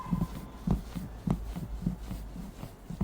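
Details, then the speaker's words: Hyundai Ioniq 5 taxi driver's seat: soft uneven leathery creaks from the backrest whenever the back moves, leather and plastic rubbing inside the seat; the original noise was much louder, fixed by adding non-woven fabric padding inside. "어떤 소리가 하냐면이 등판 쪽에서 가죽이 비벼진 때 나는 소리 있잖아요 우리가 가죽 소파 같은데 앉으면 뿌드득 뿌드득 소리 나죠 그런 소리가 이런데 등이 움직일 때마다났습니다"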